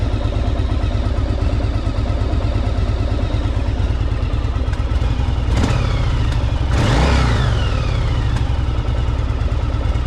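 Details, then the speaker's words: 1984 Yamaha Virago 1000 V-twin running after carb flooding fix and refitting cleaned fuel tanks; even loping idle with one quick throttle blip rising and settling cleanly; sounds good, though owner notes a little backfire. "It sounds good, too. It's got a little bit of a backfire to it, though."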